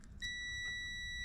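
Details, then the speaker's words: 2005.5 Audi A4 fuel door release circuit, multimeter continuity test through an extension lead to the front of the car: a sharp steady high-pitched beep over quiet shop background. The wire has continuity and reads as expected. "Perfect. And I don't know if you could see the screen here, but you got 6 amps of resistance, which is exactly what that wire should be as far as I know."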